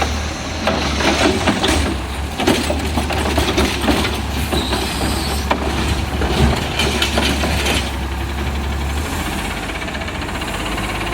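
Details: Garbage truck diesel (unit 2817) on a recycling route with an exhaust leak: loud raspy, chuffing note growing harsher when accelerating away.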